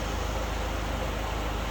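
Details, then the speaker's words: 2009 Smart Fortwo, A/C running after cleaning a filter: a steady blower and compressor rush with no knocks or squeals. Pressures are about 52 and 265, tested holding 3,500 rpm; the A/C is healthy. "That looks good to me. And I was testing it under, I was revving it up to 3,500 RPM and holding it there."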